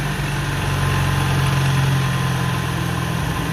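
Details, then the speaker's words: 1970 Honda N600 microcar engine just restarted after ignition points work; smooth, even idle with a steady low rumble and no taps, misses or hunting while warming up, with a little smoke; fuel mixture may need adjusting. "Let it warm up there a little bit. Might have to make some adjustments to the fuel mixture. Got a little smoke happening. Oh, I am happy. Let's listen to this thing. Yeah, yeehaw, she runs."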